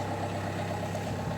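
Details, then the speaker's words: Opel, Z19DTH 1.9 diesel, automatic, after cold start with throttle and swirl-flap fault codes: idle with a loose uneven rattle, sounds rough and worn; injectors previously repaired, correction values show cylinders 1 and 2 off; cause unconfirmed. "Something's rattling, can you hear it? Something's wrong with it. Something's wrong with it."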